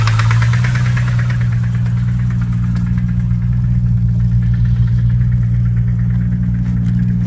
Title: BMW M3 E 92 KNOCKING SOUND COMING FROM ENG